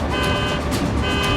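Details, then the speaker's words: Tesla Cybertruck during hitch towing failure test, frame cracking around 6,000–8,000 lb pull from excavator: pulsing alarm chirp about twice a second over low engine and machinery rumble; the truck's alarm triggered under heavy hitch load. "The alarm's going off."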